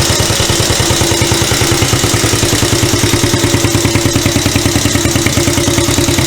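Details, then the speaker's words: Chinese CT-125 ATV, first start after repair: steady even single-cylinder putter at idle with no knock or tick; it runs after fixing a bent valve and an exhaust valve fitted in the intake slot. "it's all it was is the bent Val and we put the exhaust valve in the intake valve slot on the head and it runs"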